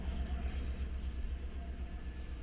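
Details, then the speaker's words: 2012 Chevrolet Tahoe with P0300 misfire code: deep, lumpy idle with uneven stumble, misfire still present on cylinder 7 after swapping plug wire between 7 and 1; spark plugs changed a month ago look worn; engine misfire at idle. "لاحظوا باقي التفتفه وين موجوده في سبعه غير نفس وباقي نفس المشكله"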